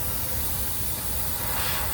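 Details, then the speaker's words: Thermo King SB230 trailer with a new air line fitted; the other broken air brake line still leaks with a steady, sharp, unchanging hiss of air pouring out, both lines suspected caught on the road. "so i did the new one let me show you guys and you can still hear that the other one's leaking as well watch listen to this"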